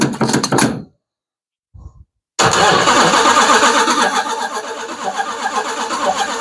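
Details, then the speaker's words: Freshly built Hemi V8 in a Plymouth Duster on first fire-up with fuel cell: a short cranking burst, a pause, then a fast even churn about four beats a second that never catches after it died; owner concludes a fuel issue and tries starting fluid. "I don't know why she shut off on me. Yeah, that's what it is. Fuel issue."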